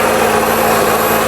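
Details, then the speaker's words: BMW X-series SUV after an oil and filter change: steady, even idle hum with faint high whine on top, no ticks or knocks; engine runs normally, no leaks. "We're gonna start the engine just like that. So as you can hear, the engine is running."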